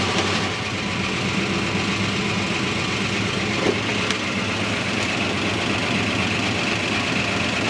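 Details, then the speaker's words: 1969 Barracuda running after sitting 27 years, fed by a temporary electric fuel pump; rough idle with sharp, fast metallic top-end clatter while oil pressure sits mid-gauge; worn hydraulic lifters suspected, not confirmed. "Wow. Dang. Is it picking up any oil? Very clattery. Very clattery."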